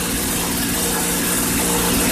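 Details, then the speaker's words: 1995 Ardisam Earthquake 8900 auger two-stroke engine, bought at a yard sale as a non-starter, first running on pure gas mix after choking: steady fast buzzing drone with no hunting, idle speed too high, to be adjusted once warm. "There we go. idle speed is too high."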